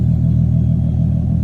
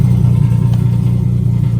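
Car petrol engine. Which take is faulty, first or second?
second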